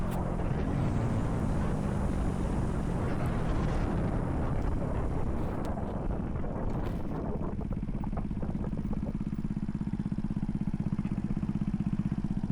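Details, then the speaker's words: RPS Racer 140, first run after new head with Z40 race cam, 18-tooth front sprocket, rider about 225–230 lb, third gear near 50 mph on a long uphill: engine pulls hard and revs smoothly all the way up, steady buzzy note, no stumble; runs healthy. "Listen to it rev all the way up. And this is a long, steep uphill. Not super steep, but it's a pretty long uphill all the way back into town."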